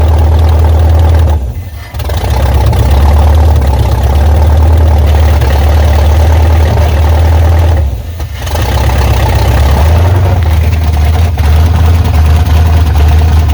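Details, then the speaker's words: 1986 Chevy Silverado with 5.7 350 Vortec V8 after camshaft swap to run the stock mechanical fuel pump, first start: deep steady idle with slight lope and a couple of brief dips, no knock; runs and pumps fuel, normal idle. "at least we heard it crank up and we know it does run and it does pump fuel now so that's the main thing"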